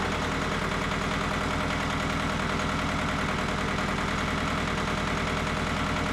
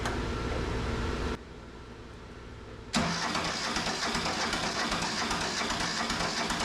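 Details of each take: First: Mitsubishi MT372 diesel tractor: steady clatter at idle, even beat about three per second, no missing or surging; idles normally. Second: Neglected Mitsubishi MT372 diesel tractor, long sitting, cranking on a weak battery with charger: long steady churn, never fires despite black smoke; no-start later traced to a loose injector line.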